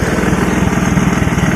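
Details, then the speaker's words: 1984 Honda ATC200S single-cylinder three-wheeler idling after throttle cable adjusted and lubricated, running without air filter; quick, even putter with steady pulses, no misses or knocks, sounds healthy. "um you can hear how it sounds it sounds pretty good"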